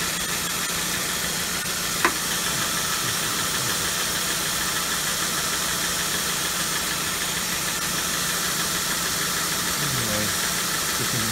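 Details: 2003 Nissan Sentra after re-tightening the two serpentine accessory belts to cure squealing at start-up: smooth, even idle with a steady note and no squeal or chirp; normal idle.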